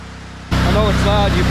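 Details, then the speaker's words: Kohler engine on a Hobart 10,000 W welder generator after carb repair and old fuel pump refit: steady, even low hum with no misses, running great while warming up. "I bet I was having problems running great right now I'm gonna let it run a little bit"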